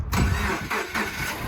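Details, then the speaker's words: 2012/2013 Subaru Forester XT turbo after timing belt skip and bent valve repair, with a broken wire and unplugged secondary air pump fixed: short, sluggish crank, then it settles to a slightly shaky idle. Weak battery; roughness clears after about a minute. "battery is weak but she's running feels a little shaky but I think it needs to be driven because it clears up after about a minute"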